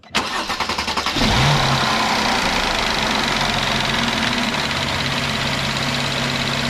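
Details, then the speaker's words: 2012 Mercedes C350 3.5 V6 after replacing the serpentine belt, tensioners and idler to cure a squeak: quick crank, clean catch, steady idle with a normal light direct-injection tick and no belt squeak; normal start and idle. "there we go. Everything sounds smooth, everything looks smooth. And if you wondered, that little ticking sound in these engines, that's a direct injection, so that's totally normal."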